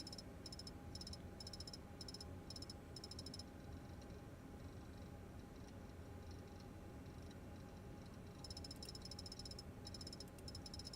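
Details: Failing hard drive in a laptop: faint rapid ticking in quick clustered bursts over a quiet hum, pausing and resuming, as the drive strains to read sectors.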